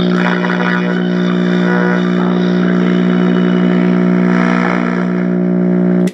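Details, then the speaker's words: Zenith X114W tube radio, chassis 5M04, on first power-up after brief warm-up: loud, steady low hum with no pitch change until power is cut — bad, dried-out filter capacitors in the power supply. "Alright, right off the bat, there's our bad filter capacitors."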